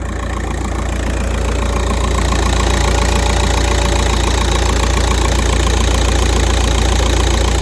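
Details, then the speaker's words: Volkswagen Golf 5 petrol engine, 200,027 km, idling at steady rpm with no warning lights: steady hard knock about three to four blows a second, like a hammer striking the engine. "цей звук як хтось стукає молотком двигуну який стук іде з двигуна"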